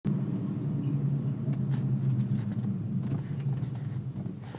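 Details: 2004 BMW 325i E46 at idle or when coming to a stop: low uneven drone and rumble with a faint throb, vibrating through the car; stops with slight throttle. Idle noise with vibration, cause unclear.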